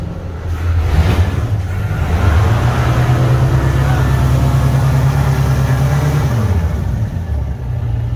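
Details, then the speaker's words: 1973 Holiday Mansion houseboat inboard motor running after rebuild and fuel reinstalled, backing out of the marina: steady, even low drone with no knocks or misses; normal running under way. "Stephen got the houseboat running, backing it out of the port right now. Listen, that motor runs good."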